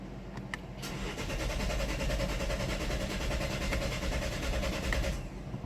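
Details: Chevy with 134,000 miles, broken vacuum pump threw off timing (codes P0014, P0017): starter cranks steadily about four seconds but engine never catches; fuel rail pressure low during cranking code.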